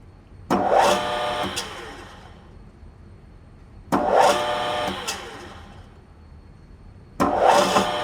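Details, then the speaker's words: Grizzly G4003 lathe motor, three starts: rising hum with a rough growl on spool-up, getting progressively worse, belt tension fluctuating. Suspected bearing or mechanical problem in the motor itself. Rough growling on spool-up. "Now, you hear when it spools up that kind of rough noise that almost a little growling. Right there at the end. And it gets progressively worse."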